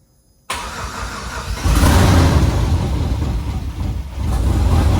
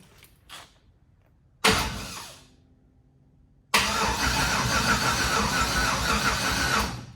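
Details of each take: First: Truck engine first start, with starter and fuel pump relay jumped due to wiring issues, no oil pressure shown on gauge: brief crank, catches and settles into steady low rumble with slight rev, sounds good; normal start and run. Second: Red truck rebuild, start attempt, starter jumped because of wiring issues: steady, even starter churning for about three seconds with no firing on only the residual fuel in the system. Cranks, no start, no fuel; next step is jumping the fuel-pump relay.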